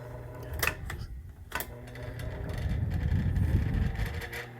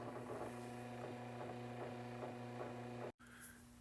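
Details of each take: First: Vintage electric fan struggling to start on speed changes: low labored hum with uneven ticking about four times a second as it drags up to speed; suspected dry motor bearings needing grease. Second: Vintage electric fan after disassembly and spraying WD-40 into it: a quiet, steady low motor hum with a faint soft tick, much less noise than before and running smoother. Rusty switch contacts are suspected of causing stops. Normal running.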